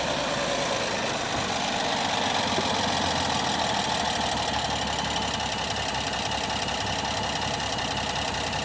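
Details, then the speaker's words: 2025 Ram 1500 Rebel, 420 hp twin-turbo straight-six, 2,500 miles, after restart: uneven idle with irregular stumble two or three times a second, misfiring worse than before. Engine misfire at idle, cause not identified. "is it not misfiring now no it's misfiring oh yeah she's misfiring in fact it's misfiring worse now than than it was"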